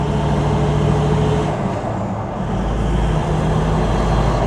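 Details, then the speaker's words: Toyota 79 Series LandCruiser diesel on its first drive after a turbo replacement, still cold. A steady drone with road rumble and no scream or flutter under load. The earlier turbo fluttering and screaming noise is gone, and the new turbo runs cleanly. "not fluttering anymore. I think we fixed there."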